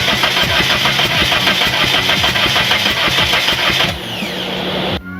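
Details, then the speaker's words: 1998 Mitsubishi Eclipse RS after harness reinstall, new clutch, headers and sensors: quick, even starter churn for several seconds with no firing; crank no-start, ASD relay firing then killing the car due to a wiring issue. "we even replaced a spark back and we still couldn't get it to start something is causing our ASD relay to fire and then subsequently kill the car"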